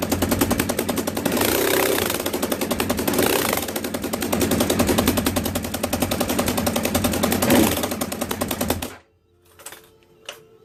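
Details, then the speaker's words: Motorcycle running after losing power on the freeway, fairings off: loud, sharp, rapid ticking and popping like a dirt bike, from a bad exhaust leak at the header ports; the fix is replacing the exhaust port gaskets. "And there you go. That's what an exhaust leak sounds like from the header side."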